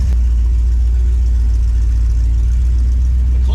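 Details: Rebuilt 400ci small-block Chevy V8 (new bearings and rings) in a 5-speed S10, started dead cold before a drive, good oil pressure: deep, steady rumble at fast cold idle, even firing, no knocks or ticks; healthy engine.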